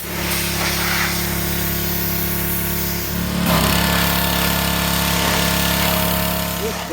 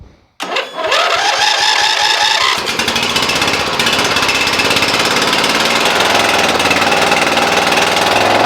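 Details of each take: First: Briggs and Stratton single-cylinder engine on a Cub Cadet mower: steady, even rattling run that takes a throttle change cleanly partway through; sounds healthy. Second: Cub Cadet mower with single-cylinder Briggs & Stratton engine, oil blowing out of the fuel pump, starts and runs loud and rough with a ragged, uneven beat; blown head gasket.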